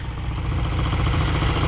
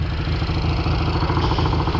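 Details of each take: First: 1968 Triumph Bonneville 650 twin cafe racer, riding after shifting through second and third: short burst of a deep, even parallel-twin beat pulling steadily with no misfires or rattles; healthy running. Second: 1968 Triumph Bonneville 650 twin with two carbs, muffler with a metallic resonant note, choke removed: lumpy, slightly fast idle with an uneven beat between cylinders before one side's idle screw is turned down; carb idle imbalance suspected, not confirmed.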